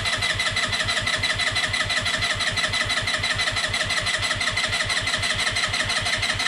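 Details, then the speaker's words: Peugeot Django 125 scooter after a carburettor replacement: ignition on, brake held, no throttle, steady starter churning at about five pulses a second with no firing while the empty float bowl fills. "any throttle just going to crank it a few times like that and basically what i'm going to do probably no more than 20 seconds each go so i don't want to i don't want to damage the starter motor"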